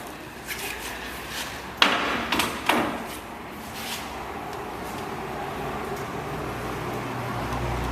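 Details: 2005 Chevrolet Venture with Braun Entervan II conversion, about 48,000 miles, power side ramp stowing: sharp clunks as door and ramp latch, then low steady motor hum; normal power sliding door and ramp operation.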